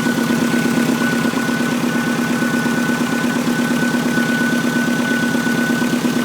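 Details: 2006 Subaru WRX, freshly rebuilt engine with about 500 miles, idling; a thin, steady high whistle over the even idle that does not change is the power steering pump whining.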